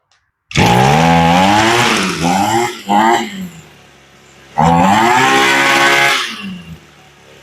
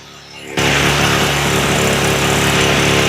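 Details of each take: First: Echo SRM-225 two-stroke trimmer after a carburetor rebuild, choke off, revving up cleanly and dropping back to an idle that is set a little high. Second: Echo SRM-225 two-stroke trimmer after carb rebuild, choke off, no throttle: fast, steady buzz; idle set too high because it had been turned up while running badly.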